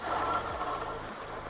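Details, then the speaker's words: Mukkpet 750 electric eBike descending a 26% grade, 180mm front and 160mm rear discs, levers lightly pressed: rough grinding with high squeaks yet strong stopping. Noisy disc brakes, possibly cleanable. "so just lightly pressing the levers here lots of grinding and some squeaking hit a little bit harder it's got good stopping power"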